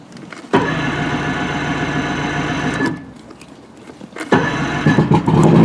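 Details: Outboard on a 1980 Skeeter bass boat, fuel primed by bulb, in neutral and choked: brief cranking, then catches and settles into a steady run with water flowing; clean cold start after carburetors were cleaned and spark plugs replaced.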